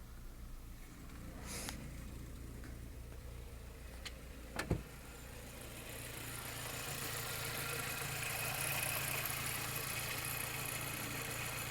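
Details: Skoda Fabia 1.4 MPI petrol engine idling with a low, slightly uneven beat: a misfire caused by a bad third-cylinder injector.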